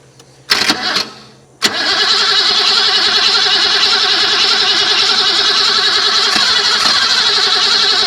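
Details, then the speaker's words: 1980 BMW 528i (E12) that sat about 8 years since 2017, on a plug-in battery charger with fuel sprayed in: a few clicks, then steady cranking that never fires; it turns over fine and the fuel system is suspected (no fuel delivery). "Everything's spinning good on the front of the engine. So we got to figure out the fuel system."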